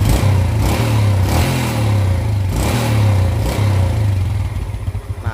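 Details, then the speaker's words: Yamaha Jupiter Z after repair of severely weakened compression: quick throttle blips pick up cleanly, then it settles into a steady, even idle without stalling. Before the repair it died at idle; the idle is now normal. "slownya pun atau langsamnya ini sudah normal lagi ini Saya jamin kalau seandainya ditanjakkan ini tenaganya sudah normal lagi"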